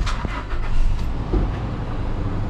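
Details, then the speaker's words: 2017 Toyota Hilux Workmate after clutch replacement: starts on the first crank and settles into a steady low rumble with no misses or knocks; normal engine start. "nothing at all to worry about it one kick start straight away"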